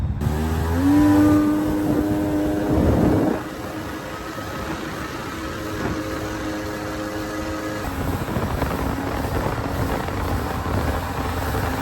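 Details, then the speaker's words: 2001 Kawasaki 1100 STX DI direct-injected two-stroke three-seat jet ski on the lake after ECU repair and new speed sensor: engine rises smoothly to a steady, even drone without stumbling or misfiring; normal running. "It's been running good, so uh we shouldn't have any issues, but we'll just see how it goes."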